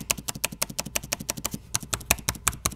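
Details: Dell XPS 9570 laptop, microphone below, spacebar after greasing its metal-on-metal stabilizer bars to cure an intermittent right-side squeak; quick crisp taps about six a second with no squeak between them, now quiet.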